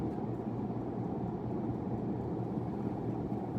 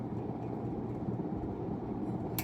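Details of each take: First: 1991 42-inch hugger ceiling fan of unknown brand, newly installed: even low hum with steady airflow whoosh, no knocking or scraping, slight wobble; an earlier noise stopped when the light was switched on. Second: 1991 unknown-brand 42-inch hugger ceiling fan on first test after install: steady low electrical motor hum under the fan run, no speed change; noise went away when the light was switched on.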